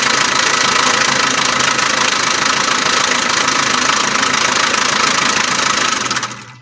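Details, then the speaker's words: Alfa Romeo MiTo 1.3 Multijet diesel: loud, fast metallic clatter near the timing chain over the running note; fault codes show chain synchronization and oil pressure faults. Timing chain rattle. "a very loud engine noise here near the timing chain the car also has some codes and when doing the diagnosis it has synchronization issues with the timing chain"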